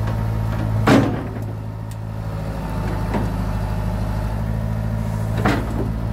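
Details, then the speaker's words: John Deere 490E excavator with a Hitachi hydraulic pump put in limp mode, computer bypassed, cable throttle: diesel holds a steady drone while the hydraulics work. It is slower but doesn't bog under load. "i mean with the with it in lint mode it's working fine it's definitely a lot slower but it doesn't bog out"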